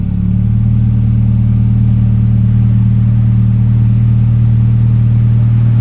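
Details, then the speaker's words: 1992 Toyota Starlet GT EP82, VF34 turbo, new Exedy HD clutch; cold start in cool weather gives a steady, fast, even idle well above normal, no misses; owner suspects an old wax (idle) unit; high cold idle, somewhat calmer than before. "at the moment it's calmed itself down and idling still not 100% but a little bit better I'll start it up and see what it's feeling like it wants to idle at it at the moment"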